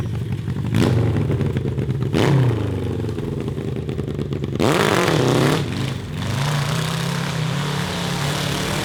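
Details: CB750 750cc cross kart engine on stock carburetors with drilled emulsion tubes, warmed, at high throttle above 7,000 RPM: revs up, then stumbles and sags instead of pulling clean; carburetor breakup persists, so a return to stock jets and tubes is planned.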